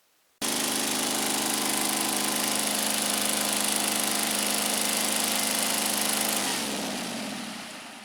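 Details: Scag Turf Tiger 61 mower, Kohler CH25S twin engine, with one coil wire pulled during diagnosis: steady buzzing run with slightly uneven beat, then winds down and dies; the other cylinder was dead due to a failed ignition coil.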